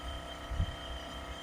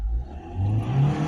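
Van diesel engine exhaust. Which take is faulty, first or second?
first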